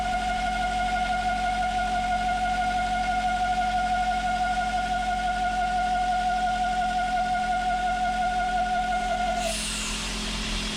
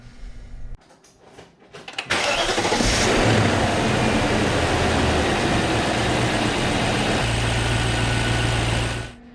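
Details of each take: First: 2000 BMW E39 540i at idle with crankcase ventilation (CCV) valve bottom port plugged: shrill whistle over smooth idle nine seconds then cuts off; failed CCV vacuum whistle, also rough cold idle and oil-cap suction, before replacement. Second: 2000 BMW 540i E39 after replacing the crankcase ventilation (CCV) valve for cold rough idle, whistling and oil-cap suction: brief crank, quick catch with one rev flare, then smooth steady idle, no whistle or stumble; fixed.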